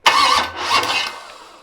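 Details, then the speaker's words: '73 Canadian truck 350 Chevy with big cam and fuelie heads, after retarding over-advanced ignition timing: quick, even cranking with no dragging or labouring that dies away without catching; starter turns freely now timing is better. "See how fast it's turning now? It's because the timing is better right there."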